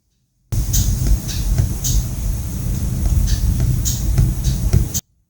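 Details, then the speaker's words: 2009 Honda CR-V, owner's diagnosis VTEC solenoid causing limp mode at high rpm, idling around 1000 rpm after switching ignition: sharp irregular ticks about every second over low idle rumble as the VTEC solenoid opens and closes. "it's opening and closing we can hear the clickings"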